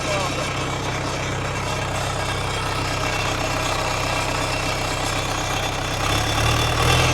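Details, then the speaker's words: Irrigation pivot diesel engine, running very loud because exhaust exits straight out the turbo with no muffler, like a tractor-pull tractor; steady deep even beat, no knocks or misses; normal running, unmuffled exhaust. "engine is so loud because it like just goes straight out the turbo and there's no muffler."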